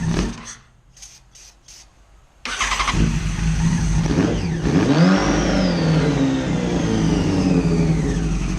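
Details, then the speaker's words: Neglected 2011 Yamaha FZ1 motorcycle, first start after sitting: quiet for two seconds, then the engine catches and runs loud and raspy with one clean rev up and back down; it runs fine. "It's so loud. Okay, that's good. The neighbors are going to be mad. Cool. It runs."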